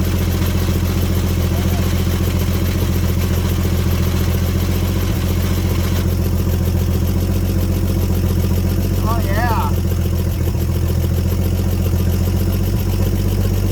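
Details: 1954 Chevrolet 150 that has been sitting, start attempt with the coil jumpered and jumper cables added: engine catches and holds a steady, firm low rumble without stumbling; ignition is firing and it keeps running.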